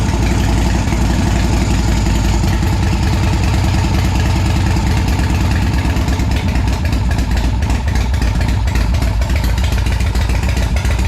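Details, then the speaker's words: Custom motorcycle with big-inch S&S Evolution-style V-twin parked about 20 years, revived with choke: deep, even lope holding steady without misses or knocks; normal idle, running cleanly again. "oh well she started I got to hear it again"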